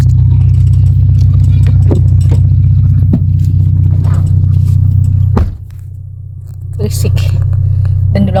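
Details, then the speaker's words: 1992 Toyota Starlet 1.3 L fitted with an aftermarket racing exhaust, making a deep, heavy, booming drone in the cabin at steady revs. The exhaust also squeaks from rubbing, and the original exhaust is to be refitted. "Ini ke kabin berisik banget,"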